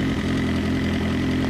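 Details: Suzuki GSX-R motorcycle at idle: light, quick top-end tick over the exhaust note that disappears at 2500 rpm; resetting the cam chain tensioner stopped it only briefly, owner suspects timing chain or tensioner, not confirmed.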